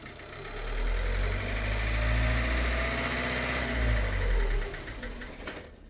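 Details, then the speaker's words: Ford Connect 1.8 diesel, in for a fuel filter and timing belt, at 1500 rpm with the throttle body removed, picked up by directional and piezo microphones: a dull knock two or three times a second. Piston knock in cylinder 1 (French numbering), cylinder 4 conventionally. "видим стук-стук-стук то есть это говорит о том что у нас стучит поршень первого цилиндра по-французски меркам"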